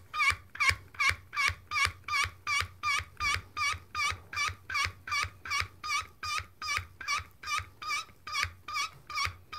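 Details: Swage-It (HIT Tools) hydraulic crimping tool crimping a copper sleeve on 5/16" wire rope with small, short pump strokes building pressure. A crisp, high chirping squeak repeats about 2.5 times a second, which is the normal pumping noise.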